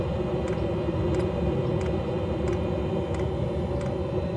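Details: Planar 2 kW diesel heater after about 3 hours at full speed, fuel tank inside: steady low combustion roar with light fuel pump tick every two-thirds second; silencer up to about 100 °C, tank only 22 °C, healthy.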